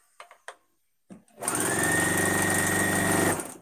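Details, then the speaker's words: Sewing machine threaded with mineral-oil-treated thread: runs up to an even fast hum with a faint rapid ticking, the thread clicking through the top tension discs. "you hear that clicking it's coming from right here at the tension disc somewhere in here yep that's where it's coming from"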